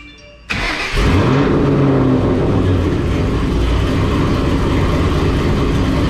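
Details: Ford Mustang GT after Ford Racing Hot Rod cams, intake and throttle body install: cranks, catches quickly, settles into strong even lumpy idle with deep steady beat; normal start and idle.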